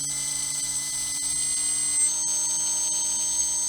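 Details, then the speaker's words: Himax HC2212-1180 brushless power system for a GWS Pico Tiger Moth, run up on a Spektrum AR400 receiver: very soft start and a quiet, even, steady high whine at half throttle with no roughness; very smooth normal running. "See that very soft start? You can hardly hear that motor. That's half throttle."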